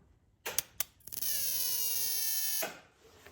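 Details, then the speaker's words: Toyota Celica with 2JZ engine swap, key on with engine not running: two sharp spark zaps then a steady high-pitched coil buzz on cylinders 2 and 5; ignition coil held energized, suspected driver/signal or grounding fault after rewiring the coil harness. "I can actually show you guys what I mean by it's just doing that buzzing thing when I turn the ignition on it's only on cylinders 2 and five right now uh that I still need to fix"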